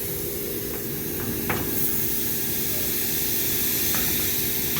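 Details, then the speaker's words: Old Trane package unit pressurised with nitrogen, high to low side: steady high-pitched hiss of escaping gas over low rumble; refrigerant line leak at the header where the line passes through. "I hope if I turn my nitrogen tank on it's leaking right there on that foreign"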